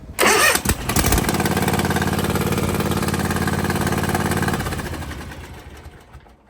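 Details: Toro TimeCutter zero-turn mower that stopped mid-mow and would not crank, now with the failed brake controller bypassed by a wire across its top two pins; short crank, catches, even steady run; starts normally.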